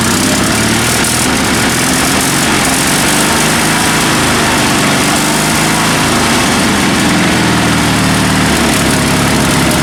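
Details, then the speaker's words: Sears Suburban SS16 garden tractor, twin-cylinder spare engine rebuilt with spare pistons and crankshaft after a broken connecting rod, previously running on one cylinder; deep lumpy Harley-like idle on both cylinders, no misses; occasional cutting out suspected fuel-related. "so I guess let's let's fire this thing up and I'll show you guys how it runs it sounds great it almost sounds like a Harley surprise surprise"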